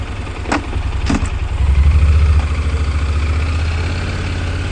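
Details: Honda NC750X parallel twin after cam chain tensioner repair for engine noise: fires up, blips once and settles into an even, steady idle with no ticking or rattle; sounds healthy.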